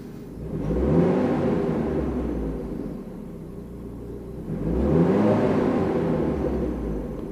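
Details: Mercedes W202 after replacing worn engine mounts with salvage-yard ones, revved from idle for cabin-vibration check: two smooth rev-ups rising and falling cleanly, no knock or drone; vibration much reduced, though a jammed clutch release bearing also adds some.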